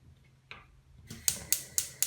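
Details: Candy CLG64SPN gas hob after thermocouple replacement: four crisp, high igniter ticks about four a second as the ring lights, then quiet. The igniter sparks cleanly and the flame now stays lit.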